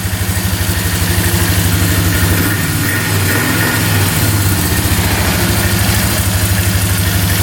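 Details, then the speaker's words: 2002 Polaris Magnum 325 4x4 ATV, warming up after an oil change with fresh 10W40 (just under 2 quarts), air box off. Quick, evenly spaced single-cylinder thumps hold a steady idle with no popping or backfiring; running great. "Alright, letting this thing warm up for a little bit with the new oil in there. It's running great. No backfiring or anything yet."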